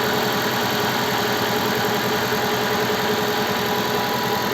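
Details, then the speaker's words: Cold start at −20 °C, engine with flashed software: a steady raised warm-up idle around 1400 rpm with light, even injector ticking and a silent power steering pump; expected to drop after about 1.5 minutes; normal. "где то он должен в около минуты полторы поработать на повышенных оборотах а потом понизится"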